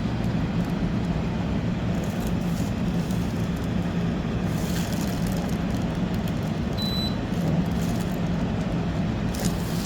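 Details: Portable air conditioner running on high cool, powered by an AllPowers R1500 power station at 98% battery: a steady, even low hum with a constant airy rush and no knocks or rattles, so it is running smoothly.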